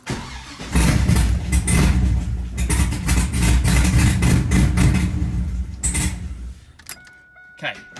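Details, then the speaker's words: Engine's first start after reassembly with the head bolts torqued and the exhaust refitted: it catches and runs rough and loud with a sharp puffing tick over the idle; exhaust manifold leak, fitting missing manifold bolts. "we're getting somewhere it did not explode that is a good sign you got manifold bleach"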